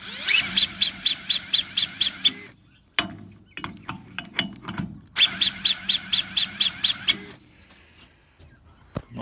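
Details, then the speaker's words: Two-cylinder two-stroke longtail mud motor with SPS kit, cranked by a small electric drill: high drill whine with regular compression pulses about four a second and no firing; cranking too slow to start it. "fast enough to start it but it's only a little tiny drill I've got a Makita one at work maybe I'll grab there"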